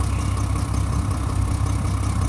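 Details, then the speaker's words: 2007 Mack MR688S roll-on roll-off truck diesel, running over 40 minutes: low loud idle with uneven lumpy beat and faint chuffing; rough idle, reportedly cracked exhaust manifold causing exhaust leak, not confirmed. "the truck has been running for over 40 minutes as you can hear it it's not idling smooth it's it's idling but it has like a an exhaust leak I heard it has a crack manifold exhaust manifold is cracked"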